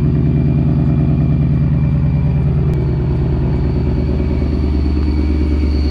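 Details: 2019 Ford Mustang Bullitt V8 with Vortech V-3 Si supercharger, cold start idling slightly high: thin steady high gear whine over loud burbling exhaust; normal supercharger gear whine.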